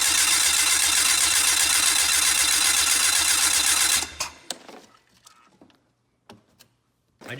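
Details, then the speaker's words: Old fuel-injected four-stroke turbo snowmobile after 30 days underwater, turbo lines refitted, possibly water-filled battery: fast even starter whirring about four seconds, then stops with a few faint pops; cranks, fires occasionally, won't catch; different battery to be tried. "that one's probably full of water yet but we got her to pop guys we got her to pop"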